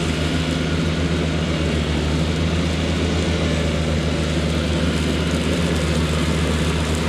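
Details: Cushman diesel front-deck mower, bought with a supposedly bad hydraulic pump, tires re-aired, mowing the whole yard: deep, steady diesel drone at constant pitch under load, no knocks or misses; it mows nicely.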